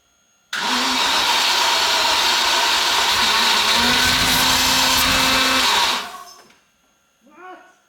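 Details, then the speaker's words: Barn-find Range Rover Classic stored about 10–13 years, with new fuel and brake cleaner added: starter spins evenly about five seconds without catching, then drops away; cranks but won't start, battery suspected bad, main relay to be checked. "no seems like the battery is bad let's change battery new battery let's try one more"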